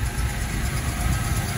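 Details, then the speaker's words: Steady, even low rumble from a 1978 Plymouth Volare Super Coupe idling after fuel was poured down the carburetor, having sat 3-5 years after about a decade parked; no misses, knocks or hunting, and it runs smoothly. "runs beautiful this car is like new perfect"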